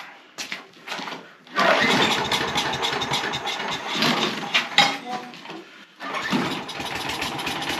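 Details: Small pull-start engine, oil checked good, started with a little choke: quiet, then catches after a pull and settles into a steady buzzing run with a brief dip; starts and runs fine.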